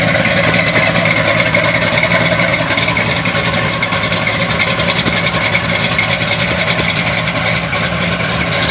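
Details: 1971 Chevy Blazer on a cold start, idle stumbling and loping unevenly, the beat never settling into a steady rhythm; rough idle, cause not yet pinned down.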